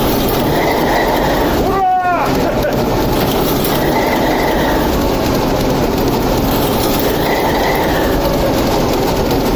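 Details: TEP70 0237 locomotive with V-16 diesel, first start after repair, oil regulator just primed: heavy diesel rumbles evenly under rail and yard noise, running steadily and sounding healthy; normal running.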